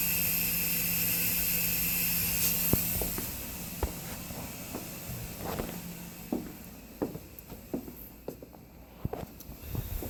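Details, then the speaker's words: Gas water heater that has died, water and gas shut off, hot water flowing out: steady high hiss from inside the tank heard with ear close, then scattered drips and taps; tank has split and is leaking. "If you put your ear up to this, I don't know if this can hear it or not, but it's really making some kind of hissing sound inside of it."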